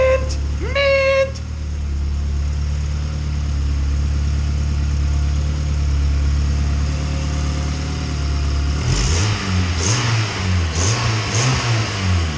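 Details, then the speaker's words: Honda Civic EK hatch Type R project, first start after installing intercooler and piping: steady smooth idle then clean rev blips, no rattles or hesitation; smoke only from new parts burning off machine oil, no oil leaks at feed or return lines. "But yeah, this thing's running pretty damn smooth. Nothing's leaking."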